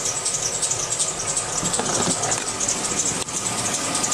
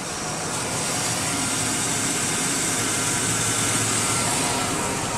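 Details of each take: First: 2002 GMC Yukon Denali V8 at idle: shrill, pulsing high squeal from a slipping serpentine belt; tensioner, idler pulley, alternator replaced without fixing it, the correct new belt finally solved it. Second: 2002 GMC Yukon Denali after new tensioner, idler and alternator: smooth, even idle with no squeal or chirp; belt squeal seemingly fixed.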